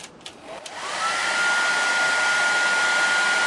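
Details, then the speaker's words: Maestro MR202 1,800 W hair dryer on highest power after cleaning burnt thermal switch contacts, which were making it shut off after a few minutes: steady, even airflow rush that holds without cutting out over 5 minutes. Normal running. "5 minutes have passed and the hair dryer hasn't turned off."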